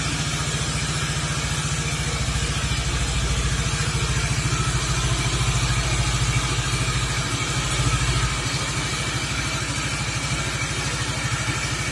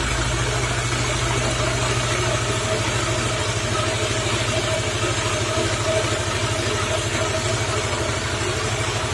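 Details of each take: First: Suzuki Nex FI scooter after CVT/gearbox service (roller housing replaced): steady, even idle with a low pulsing beat; the loud CVT and gearbox noise from before is gone, though some noise remains near the engine centre; normal idle. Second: Suzuki Nex FI scooter, weak and noisy climbing hills, engine running with rear wheel spinning: loud coarse rumble with fast uneven rattle that fades when the wheel is braked; suspected CVT or gearbox, worn gearbox bearings.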